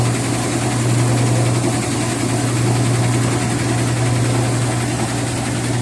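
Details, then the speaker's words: Whirlpool washer shaking and loud during spin; heavy low thumping and rumbling about four times a second because the spider has come off its track underneath. "Sometimes the spider come off the jump, they'll make adjustment."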